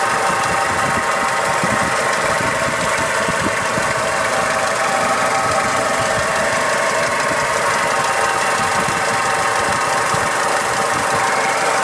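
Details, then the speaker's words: Toyota Hilux 2000 with the 5L diesel, timing belt and water pump recently replaced: steady idle with a light rattly bearing-like noise and a whirring whine, both in time with the engine; source unknown. "it does seem in time with the engine you can almost hear like a rattly bearing noise and then there's also sort of a wizzy kind of a noise it doesn't sound correct either"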